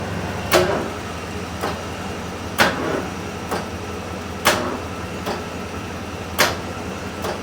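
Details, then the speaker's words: 1985 Bronco during a first engine break-in attempt, cranking on a doubtful used battery: the starter drags the freshly built, really tight engine over slowly with uneven strokes and no catch; slow cranking from a weak battery. "That battery is just that bad, apparently. It's also a really tight motor."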